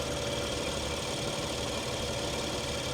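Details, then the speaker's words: 2017 BMW X5 twin-turbo, about 40,000 miles, cold morning, idling: steady even idle with faint light top-end ticking, a little clicky but normal and rock steady. "she looks good she sounds like a BMW engine too I mean a little clickey clackety but not not too"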